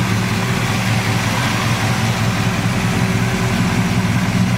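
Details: 1940 Ford pickup with a 350 Chevy crate motor, 650 Edelbrock carburetor, Edelbrock high-rise manifold and dual exhaust, 1,700 miles on the build: a smooth, even low burble at idle with no ticks or knocks. Healthy normal idle.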